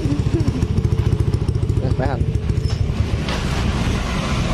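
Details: Yamaha NMAX scooter after checking the electric starter for a clicking "cetek" noise, with worn carbon brushes or a dirty connector suspected: brisk, even putter that settles into a steady run, no clicking or rough starter engagement; healthy.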